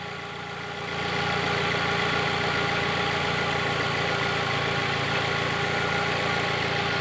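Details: Fiat Palio after fitting a new ignition coil; steady, even idle with a smooth regular beat and no stumble, all cylinders including number three now firing.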